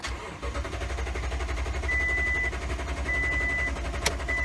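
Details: 2018 Toyota Tundra 5.7 towed in: the starter cranks with a steady, even churn but the engine never catches, and no rpm reading shows while cranking. Crank no-start caused by a failed fuel pump.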